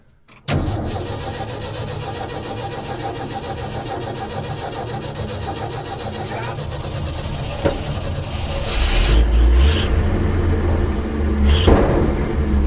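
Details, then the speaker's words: 1966 Ford F500 truck, barn-stored 20 years, restarted with ether after a stall, new carburetor working great: engine catches at once, settles into an even run, picks up cleanly on light throttle without stumbling or misfire. "all right guys we got this thing running it is a blast to uh drive and we're just happy we made it this far uh the new carb seems to be working great"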